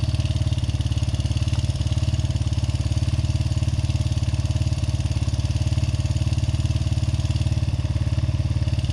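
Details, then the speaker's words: Honda XR80R single-cylinder, owned nearly 40 years, after new timing chains, cam and crank sprockets, valves and springs; cam sprocket found one tooth off and corrected. Partly reassembled, it idles with steady, even thumps about three a second, a clean healthy idle. "all right oh that sounds wonderful holy that sounds pretty good"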